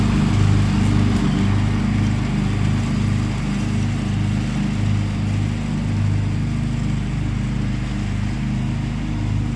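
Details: John Deere 325 lawn tractor mowing after a push-button start was installed to replace the failed ignition key switch; steady, even single-cylinder thrum holding speed under load, no misses or knocks, engine running healthy.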